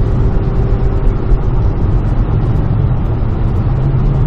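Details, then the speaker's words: 1995 Ford E-150 Club van after the exhaust manifold was machined and refitted to cure a recurring leak noise. Pulling up a big hill, where the leak used to act up, a smooth steady drone with no ticking or puffing; normal exhaust, no leak noise. "i'm really really excited listen to that no noise at all no exhaust so nice and quiet we can actually talk to each other while we're accelerating up a big hill"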